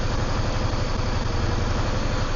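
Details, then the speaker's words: Yamaha V-Star 650 V-twin that wasn't running properly: even, lumpy idle about ten thumps a second, no misses or knocks, rpm slowly lifting as it clears up; oil smoke from rear cylinder, owner thinks oil sucked past rings; carbs not needing removal. "actually feel that the RPM's just slightly lifting and lifting and lifting as it's clearing up"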